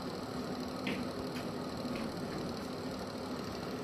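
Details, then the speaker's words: Vents extractor fan after repair of its burnt timer control board, powered via the light switch: steady even low hum with airy rush, no rattles; fan extracts air, wiring correct. "Так, зараз він витягує. Значить, підключено все так, як і має бути."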